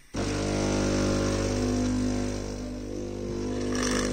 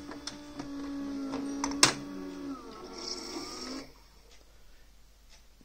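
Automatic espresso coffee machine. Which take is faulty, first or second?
first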